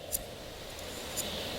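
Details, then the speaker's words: New idler pulley from a 2000 Dodge Dakota, spun by hand before install, not yet broken in: faint even whir, no bearing roughness or grinding, unlike the old pulley's noise. "again it's a little tough because it's new and not broken in yet but as you can hear there's no bearing sound no roughness nice and smooth"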